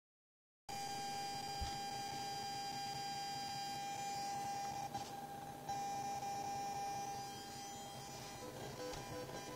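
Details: Genelec 8020B active speakers connected via XLR-male-to-RCA mono adapter and 3.5 mm jack to Asus Xonar DG PC soundcard: constant thin high whine with faint shifting buzz, also heard when moving the mouse; ground loop noise, later fixed with Genelec-recommended cable.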